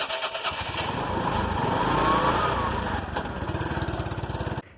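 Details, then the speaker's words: Small engine after replacing a broken Bendix starter drive base and a destroyed cooling fan: it runs with an even, steady beat, rising briefly and settling before shutting off. Some exhaust pipe noise remains. Normal running after repair. "a probar Cómo quedó y así debe sonar el motor"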